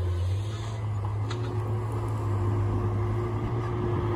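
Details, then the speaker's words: Tigercat 830 with a brand-new swing gearbox recently fitted: a steady diesel drone with a faint, thin whine riding over it as the machine swings; suspected noisy or failing swing gearbox. "y'all pay close attention to the 8:30 and let y'all can see if y'all hear a funny sales when he swings"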